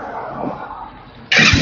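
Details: Car with failed battery at just over 6000 km, start after new battery fitted (12.8 V resting, about 14 V charging): quiet stretch, then engine catches at once and settles into steady, even idle; clean start, no hesitation.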